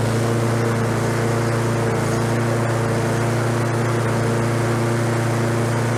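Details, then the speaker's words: Lawnboy self-propelled walk-behind mower, free street find, oil low: even high-pitched buzz with no hunting, running faster than it should; over-revving, governor arm bent to bring rpm down. "stuff propel works it sounds like it's over revving a little bit so i bent that arm to bring the rpms down a little bit"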